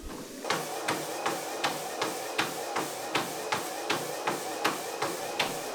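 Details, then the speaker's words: Horizon 7.0AT treadmill running at 6 mph: even footfalls about 80 a minute over faint steady motor hum, no grinding, slapping or squeal; running normally. "So I'll start up again here, and I'll let you have a listen at different speeds. So I'll dial it up to 3. And then I'll bump it up to 6 miles per hour."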